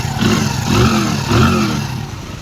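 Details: Hero Splendor Plus motorcycle after engine work and timing set to fix excessive engine noise: two short, clean throttle blips rising and falling smoothly with no clatter or knock; normal running.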